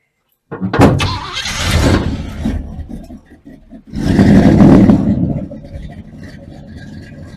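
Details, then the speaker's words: 1981 Oldsmobile Delta 88 being revived: engine catches quickly after short cranking, revs up, then settles to steady even idle with no knocks or misfires; starts nicely, normal start and idle. "seemed like it started so nice it started so nice didn't even go down there"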